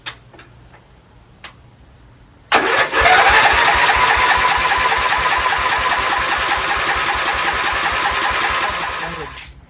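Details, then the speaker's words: Dayton 11HP lawn tractor with oil inside the carburetor and chamber and a soaked spark plug: the starter grinds steadily for about seven seconds at roughly four strokes a second and never fires; hard starting from oil flooding. "It's got oil all inside the carburetor, so I'm gonna have to help it out."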